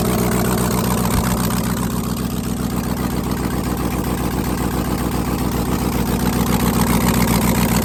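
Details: Rebuilt 5.3L truck V8 on second startup, Texas Speed stage 3 cam 216/220 .600/.600 112 LSA, no headers, stock bottom end and tune: quick crank, catches, settles into steady choppy lope with deep rumble; healthy cammed idle.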